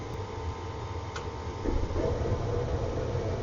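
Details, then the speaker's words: Gas furnace start-up after cleaning and flame sensor service, front panel off: inducer motor hum, then igniter glows and a soft low whoosh as gas lights and settles into even blue burn; normal burner ignition. "So it's going to be sending it up through the exhaust here, and then we should hear it call for gas and start to ignite."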